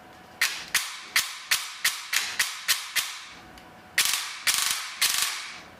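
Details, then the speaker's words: APS V2 airsoft gearbox with new piston and brushless motor cycling: sharp evenly spaced piston slaps about three per second, then quicker bursts, with no gear or motor noise; healthy. "like I don't hear any gear noise or anything no one from the motor nothing just the slap of the piston"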